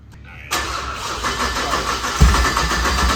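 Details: BMW 335xi built motor with JB4 tune and port injection, first start after fixing unplugged terminal 50 starter feed: quick crank, catches at once, steady even lumpy idle, no knocks or misses; normal start and idle.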